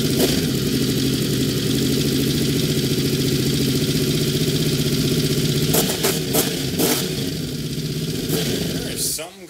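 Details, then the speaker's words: Honda VFR750 V4 just after a carburetor install, with the fuel screws at the stock setting: a steady fast idle that won't come down. "i cannot figure out what it is i cannot get the idle down anymore"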